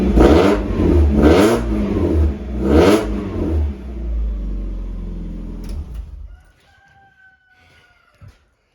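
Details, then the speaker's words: Miata drift car after fitting a new muffler: three sharp revs with a deep, clean exhaust note falling back to a quiet idle, much quieter and better toned than before; an earlier resonator rattle was likely a loose bolt and is now gone. "Oh, wow, that's way quieter. Okay, it's definitely still a little loud, which I kind of still wanted, but oh my God, the tone is so much better."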